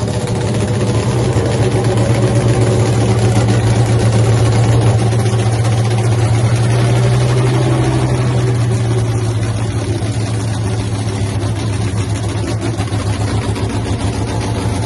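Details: Hemi-powered Cuda nitro funny car, first fire-up after a 3-year home build, running before nitro is added: deep, heavy lope settling into a steady, even idle with no misses. Earlier attempt showed an ignition problem.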